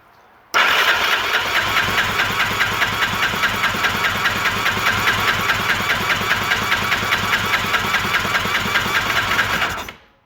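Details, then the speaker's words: 2001 Yamaha Raptor 660R; the starter churns steadily for about nine seconds with even compression pulses, never firing; compression won't pass 120 psi (needs at least 140) despite soaking, from worn cylinder, piston and rings. "now it's it's not going past 120 this time this is this is definitely a problem"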